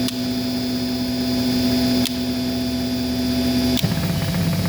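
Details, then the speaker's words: 15 kW DC generator charging battery banks, taken off a 4 kW+ load to freewheel at almost 120 V, motor drawing 1.8 A, running cool: steady electric hum whose pitch drops lower and rougher as load changes; normal unloaded running. "can hear the difference in sound. Okay. Now the generator is putting out almost 120 volts. Again, DC. But it's sitting here freewheeling."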